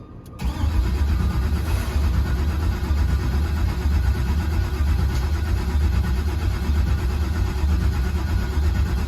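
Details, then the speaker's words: LS-swapped C10, cranking after install with fuel pump unplugged to build oil pressure: steady low churning of starter for several seconds without catching; normal crank without start. "all right so right now i have the fuel pump unplugged so it should not start i'm just looking to build some oil pressure"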